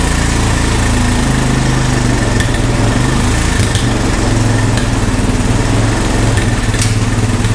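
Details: Honda ATV found at a yard sale, revived with no parts after checking spark and compression and adding fuel: single-cylinder thumps along steadily with a few light clicks on top, no misfires; runs healthy.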